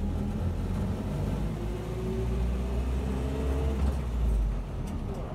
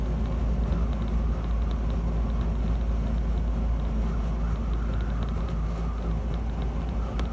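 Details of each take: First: 1976 Land Rover Series 3 109 with a 2.25 petrol engine, driving after a new exhaust was fitted. A steady low purr with no rasp or blowing replaces the earlier exhaust roar, though still noisy with no soundproofing. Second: 1976 Land Rover Series 3 109 with a 2.25 petrol engine, driving before exhaust replacement. The exhaust is holed and blowing at the manifold, with a botched over-long bolt in a stripped stud, giving a loud, deep, rough roar and drone with a raw blowing edge.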